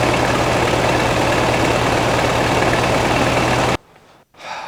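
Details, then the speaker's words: 1969 VW Beetle 1600cc with dual 34 carbs and ratio rockers, freshly installed, after carb idle and mixture adjustment: a steady, even flat-four idle with a firm low beat and no knocks or misses, only a slight shake; acceptable. "Final hole. Sounds good. I'm all right with it."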